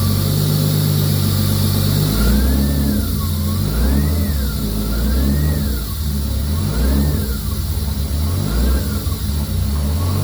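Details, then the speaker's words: Nissan 240SX with RB20 swap, first run after blown turbo replaced, downpipe refitted and custom intercooler piping; blips with turbo whistle rising and falling, clean even idle between; normal running. "Okay, that sounded pretty good, actually. Sounded pretty good."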